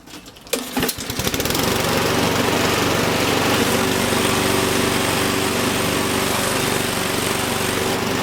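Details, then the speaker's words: Honda lawn mower shaking badly: starts and settles into a steady buzzing run with a coarse, heavy shake. Suspected bent or out-of-balance blade, or debris underneath. "I don't know if you can tell, but it is really shaking, really shaking. So we're going to take a look underneath and see what's going on. I think there might be something bent, or the blade could be out of balance."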